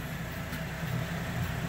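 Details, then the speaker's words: 2012 Chevrolet Traverse 3.6 V6 AWD after in-vehicle replacement of stretched timing chains: quiet even low hum at idle with no rattle or chain slap; much quieter, running normally. "Oh, I was just taking a video of it running. Just to prove that we fixed it. It sounds much quieter."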